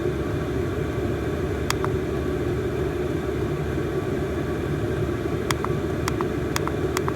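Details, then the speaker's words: Chinese copy diesel parking heater in a camping case, brand new, at the highest setting of 3.2 pulses per second with the outlet temperature unchanged from lowest: a loud, steady roar of fan and burner with faint ticks, moving much more air. Normal full-power running. "i'm just moving a ton more air you can hear by how much louder i have to talk just to hear the top of it"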